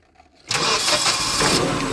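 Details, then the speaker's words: Hyundai 25L with a hard-start complaint, after repairing the wiring loom: silence, then the engine fires quickly and settles into a steady even run. "So, um and then when I went to retest it, I just Oh. Starts up right away, runs good."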